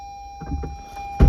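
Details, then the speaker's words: 2017 Lexus RX 350 electronic parking brake released with brake pedal held and switch pushed in accessory mode, before rear pad replacement: short motor whir then soft thunk at the rear, normal release, red light off. "So we held the brake pedal down, and we push this button down, and until we hear on the back little sound."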